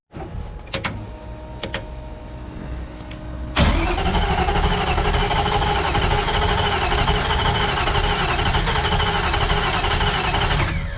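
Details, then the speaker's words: Car with cylinders 3 and 4 reading low compression: few clicks then starter churns evenly about two beats a second for seven seconds, sounds weird, never catches; cranks but no start, cause suspected. "as you can see it just cranks sounds really weird and then doesn't start"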